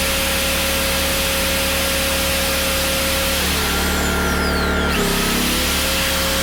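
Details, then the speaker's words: PowerTrain 900 W generator after new fuel lines and carb work, pull-started without choke (choke was reversed); loud steady running, pitch sagging then recovering, no misses or knocks; water came out the muffler: normal running. "so okay well it starts so that's good"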